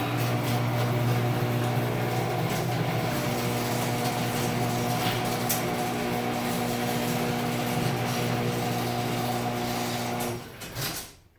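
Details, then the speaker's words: LiftMaster 3265M garage door opener, first door, believed to be around 2014, chain a little loose, closing with soft close: steady motor hum with a constant rumbling rattle as the door travels, then it stops. Noisy metal door rollers. "and close it metal rollers by the way make so much noise down"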